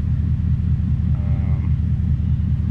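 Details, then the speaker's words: 2003 Ford F-150 with Coyote V8 swap warming up, radiator fans not yet coming on, minor ambient-temp and EVAP codes: low, even rumble with no knocks or misses as it idles down; normal warm idle. "we are starting to warm up a little bit our temperature gauge here will finally idle down"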